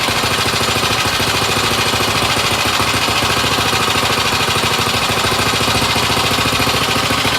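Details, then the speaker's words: Small single-cylinder mini bike engine on first fire-up after rebuild: choppy, uneven popping at about 200 beats a minute, so it is running rough. Owner suspects the on-switch ground wasn't connected; it later settled to a nice purr, with a small gas drip. "At first, if you saw right there, it wasn't starting up right."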